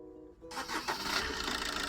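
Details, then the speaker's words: Maruti Suzuki new Swift diesel, previously misfiring with abnormal vibration at idle and start, after injector and ECM connections reconnected: starts at once and settles to a steady, even diesel clatter with no vibration; normal start. "ഒറ്റയടിക്ക് തന്നെ വാഹനം start ആയിട്ടുണ്ട് നിങ്ങൾ കാണുന്നുണ്ടാവും engine starting ആയി എൻജിനിൽ ഇപ്പോൾ വൈബ്രേഷനോ ഒന്നും തന്നെ ഇല്ല"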